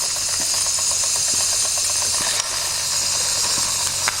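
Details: 1992 Wilesco D400 live steam toy tractor, no. 447 of 600, driving after a fix: a steady steam hiss with quick, even little chuffs and a light rattle, no slipping or stalls; it drives normally.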